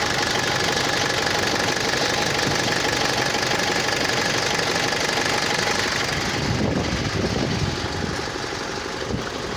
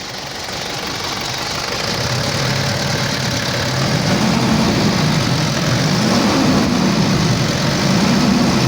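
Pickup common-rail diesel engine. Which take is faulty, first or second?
first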